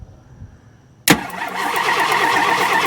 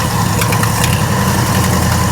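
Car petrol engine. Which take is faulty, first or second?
second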